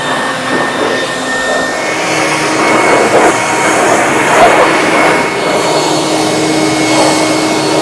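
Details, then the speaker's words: Off-brand two-speed leaf blower, second unit bought after the first failed, outdoors behind the workshop at full speed: steady high rushing whir, even airflow, no rattles or surging; normal running at full speed. "here we are out behind the workshop gives me an opportunity to see if this new microphone can handle this wind and the whirling of the blower so we've got two speeds"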